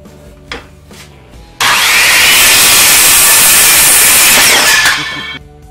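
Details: DeWalt circular saw (brand given as "WeWALT") after repair, cutting test following a free run; quiet idle, then a strong, steady high-pitched whine through the whole cut with no labouring or rattle; cutting cleanly, running healthy.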